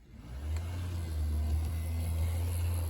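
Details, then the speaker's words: Bachmann Spectrum Amtrak F40 model locomotive test run: steady low electric hum with an even, unbroken drone and no clicks or stutter; the motor runs fine. "runs just fine and has flashing lights"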